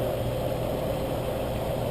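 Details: 2002 Hyundai Elantra 2.0L after engine replacement (old engine ruined by a year without oil changes), AC being recharged: smooth, even low idle with steady hum, no knocks, ticks or misses; sounds healthy.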